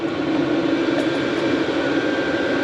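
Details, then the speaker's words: Chinese diesel heater mounted outside a workshop, warming up (surface about 66°, outlet air 22°), recirculating workshop air through 80mm pipe: steady, even roar with mid-pitched hum, no knocks or surging; normal running. "So this is the reason that I wanted to mount the diesel heater outside. To have that noise in the workshop wouldn't have made it such a pleasant area to work in."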